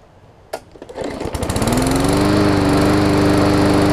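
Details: Briggs & Stratton OHV (plastic carb) Hyper Tough push mower, after clearing water in the fuel from winter storage: pulls over a few times, fires and revs to a smooth, steady high buzz, running properly.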